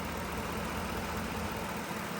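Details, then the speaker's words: 2010 Ford F-150 after repairing a damaged MAP sensor wire and harness plug and clearing codes (previously cam timing over-retarded bank 1, misfire, shaking): steady, even idle with a smooth low rumble, no misfiring or shaking; normal idle. "Oh my God. Guys, it sounds like a champ. No more misfiring, no more shaking."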